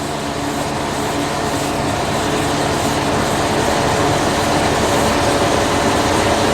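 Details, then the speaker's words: 2016 Pierce Velocity fire pumper in pump gear, pressure gauge reading zero, no water in pump; engineer priming to restore water. Loud steady roar with faint rhythmic clatter underneath; loss of pump prime. "I look at my pressure I'm seeing zero on my that means I have no water in the pump so now I have a problem"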